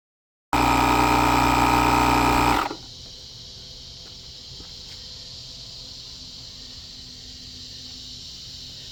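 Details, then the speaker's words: Buture Beta07 jump starter's built-in compressor inflating a 33-inch tire from 5 toward 40 PSI: it buzzes steadily, then stops abruptly at about 36 PSI. The unit is slightly warm; owner suspects thermal protection shutdown. "I think what it's doing is it's shutting down for heat, which is a good thing. This unit does have 10 different protections in it."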